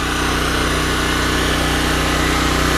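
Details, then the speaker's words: Smarter Tools STGP-3500EB 3500 W generator, 196cc 6.5 HP air-cooled OHV engine, first start, no load, about 15 feet away: smooth, steady low drone, no knocks or surging; normal, quiet running. "That's actually with the open deal, so it's actually amplifying it. It runs really quiet, actually."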